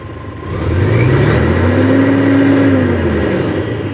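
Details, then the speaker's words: Isuzu 6WG1 CRDI diesel truck, after repair for low power complaint: clean rise in pitch, holds at redline and eases back smoothly without stumbling; now revs freely to red, normal. "So umabot na sa red mga buddy. Okay pa ulit. So ibig sabihin okay na mga buddy, okay na."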